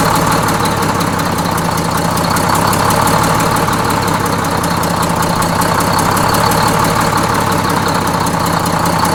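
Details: Bus with Detroit Diesel 6-71N after a fresh in-frame rebuild, idle being set: steady even idle, smooth low drone with a light fine rattle on top, no knocks or misses; normal idle.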